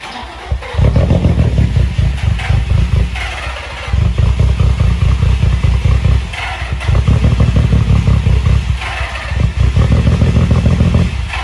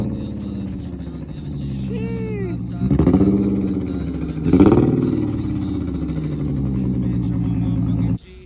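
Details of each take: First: Nissan 350Z, jump-started after new camshaft sensor and cheap (snapped) crankshaft position sensor installs, previously a no-start: the engine surges in rough bursts, sags and nearly dies every few seconds, and dies when given gas. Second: Nissan 350Z after the failed fuel pump assembly was replaced, having sat about two and a half months: engine now starts and runs steadily, two quick throttle blips rising and settling cleanly, even and healthy. Normal running after repair.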